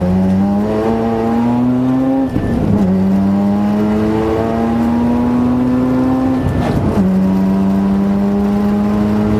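Droning tone climbs with speed through each gear, drops at every shift and climbs again; points to whining gears in the transmission.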